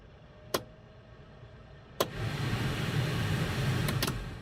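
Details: 1967 Mustang heater blower fan, rewired with American Auto Wire kit and new heater control cables: switch click then steady even airy whir, no rattle, ticking or squeal; fan running properly.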